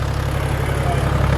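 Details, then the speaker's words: Toyota HDJ81 1HD-T diesel after rod (big end) bearing replacement, first start with fresh oil: steady even diesel clatter at idle, no knock or miss; owner thinks it sounds smoother and quieter. "so yeah it sounds real smooth it's actually in my opinion it sounds quieter and i think it might just be a placebo effect"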